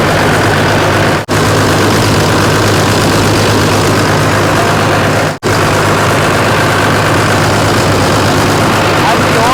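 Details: 1993 Dodge D350 Cummins turbo diesel, abandoned 18 years and run on an alternative fuel supply, first start with suspected stuck injection pump: loud rough clatter at idle with irregular stumble; one cylinder dropped out with zero compression.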